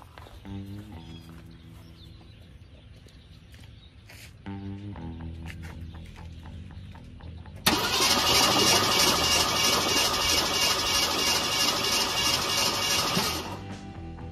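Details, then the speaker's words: One-owner 1969 Ford with 52,000 miles, stored 23 years: even starter cranking at about three beats a second, never fires. The coil has spark; the points are suspected open. "no because the points is probably open"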